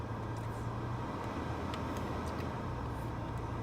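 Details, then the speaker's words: Mercedes E320 W211, 186,000 miles, below freezing: blower fan set near maximum/over halfway gives a steady, smooth airy rush with no chirp. The low-speed squeal is gone at this setting, though the blower is due for replacement. "yeah it's quiet then you get the a noise from the blower yeah it's better that way to get rid of the noise"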